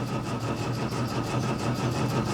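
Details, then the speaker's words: 1966 MGB GT B-series petrol engine, first start attempt in several years after new battery, ignition barrel and fresh fuel: cranks freely with an even churning beat, not seized, but never fires. "let's see it's turning over we haven't got a seized engine which is great"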